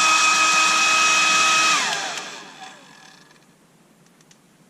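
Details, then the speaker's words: Hairdryer that began making an unpleasant high-pitched noise: a thin steady squeal over the fan rush, sliding down in pitch as it spins down. Owner suspects rubbing or a dry bearing. Finding: high-pitched squeal. "I'm not sure if that comes over but there is a sort of high-pitched squealy noise somewhere in here um maybe something rubbing or a dry bearing so I'm going to have a look"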